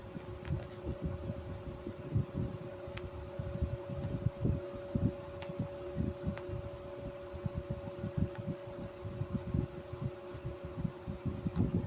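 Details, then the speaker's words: 1995 Chambers (Whirlpool) 5,000 BTU R22 window AC, model BPAC0500AS2, probably Emerson induction fan motor: hum with ragged rumbling rattle at shutdown as the shaft drops slightly; very worn fan motor bearings. "That noise is the very very wore out fan bearings. When the motor shuts off, the shaft kind of drops down just a little bit and then it doesn't sound so hot."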